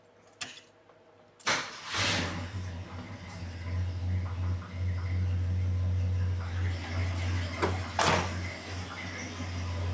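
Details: 1974 Ford F100 V8 with a new Summit intake, carburetor bowls primed, timing backed off after sounding advanced and no coolant yet, settles into a steady, even low idle rumble with no misses or knocks; normal idle.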